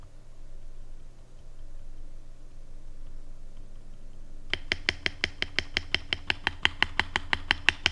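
About three spacebar presses a second, each a clean, even thock with no wire rattle or ping. The stabilizer is well tuned.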